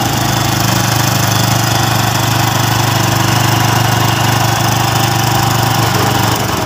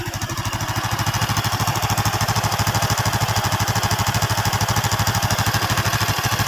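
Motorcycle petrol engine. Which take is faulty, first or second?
first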